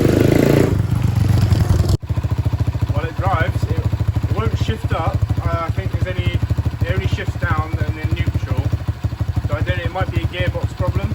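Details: Dirt Master 110cc pit bike, fresh fuel, ridden off in gear: small single revs up and settles into steady even thump, no knocks or misses; runs clean.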